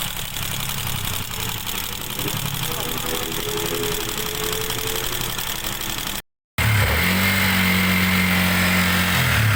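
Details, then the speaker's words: Sniper 150 after rebuild for excessive engine noise (timing chain replaced), RPM back to normal: quiet, even idle with steady pitch, no rattle or grinding left. Normal idle. "normal na RM >> PH,5 >> PH,5 lang. Oo. Ayan na. Back na naman normal."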